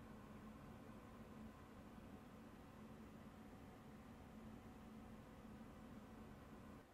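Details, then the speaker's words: MSI RTX 5060 Shadow 2X OC two-fan card under gaming load, about 68°C, 140 W, fans at 52% (over 1,850 RPM), recorded with a wireless microphone: soft even airy whoosh, louder than the TUF but not annoying; normal. "I can definitely hear the fans spinning louder than they were on the tough gaming version of the 5060. But then, is it annoyingly loud? No, it is not."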